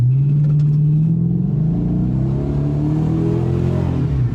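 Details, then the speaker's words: 2018 Dodge Charger Pursuit V8 with cold air intake added, accelerating on the road: smooth deep note climbing steadily, no knocks; pulls a bit better, healthy exhaust tone. "Oh yeah, I mean it pulls a little bit better, but it's not like obnoxious, you know what I mean?"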